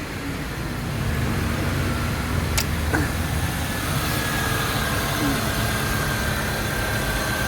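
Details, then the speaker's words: 2003 Honda CR-V after its faulty ECU was repaired and refitted, having failed to start even after fuel pump replacement: catches and settles into an even, steady idle with no stumble or misfire. "ตอนนี้สตาร์ทติดแล้วครับนนู่นสาเหตุแม่กล่องเสียนะครับอันนี้ติด"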